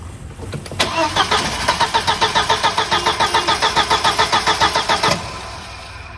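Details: 1999 VW Passat 1.8T petrol wagon after resoldering the main relay joints: starter churns about three and a half beats a second, engine barely catches then dies, a rough choked start; the relay still needs replacing.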